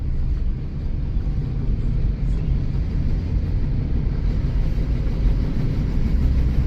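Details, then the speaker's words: 2011 Kia Soul on a test drive, pulling away from a stop: smooth, steady engine drone rising evenly under road noise with no misses or knocks; good acceleration. Engine believed to be a four-cylinder, possibly 2.4, with eco mode. "now we're going to finally get pulled out and we're off um it has good acceleration"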